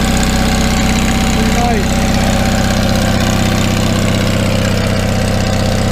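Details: 1974 GMC RV engine started through a Bosch starter switch wired to the starter solenoid during electrical troubleshooting: after clicking, runs at a steady, even beat of about four pulses a second with no misses or knocks; normal start and idle.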